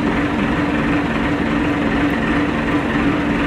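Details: Massey Ferguson 390T tractor: steady heavy diesel drone with a constant low hum running through it; rumbling noise, cause still unknown.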